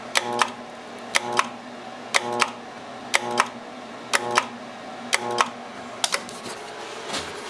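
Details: Armstrong FM-20000T2 three-phase blower, after 3 weeks idle awaiting a new tube: contactor clicks about once a second with brief hum, motor never spins up, retries trip the blower breaker; all three phases present within 1 V; cause unknown.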